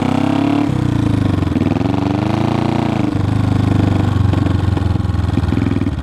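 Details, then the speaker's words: 1974 Honda CB500T cafe racer whose revs hunt, sagging and surging instead of holding steady. It runs rough and struggles to keep running; the owner plans a carb rebuild kit and carb sync, but the cause is unconfirmed. "it runs but it has a hard time staying running and it's a little bit rough"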